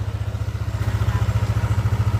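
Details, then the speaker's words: Yamaha NMAX V1 scooter after parts replacement for a noisy, rough knocking engine: now idles with a steady even low thump, no ticking or rattle. "So medyo malaking diperensya yata yung pinagkaiba kanina simula bago gawin ano. So ito na yung tunog niya mga bossing."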